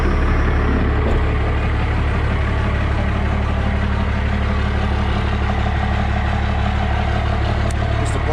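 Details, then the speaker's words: 1995 Dodge 2500 Cummins diesel, NV4500 5-speed, 240,000 miles: steady low idle with faint rhythmic gear rumble in every gear except fourth, gone with clutch in; owner suspects countershaft, gears or bearings. "I don't know if you can hear this noise or not, but whenever we put it in any gear but fourth gear, it makes this noise. Clutch in, noise goes away."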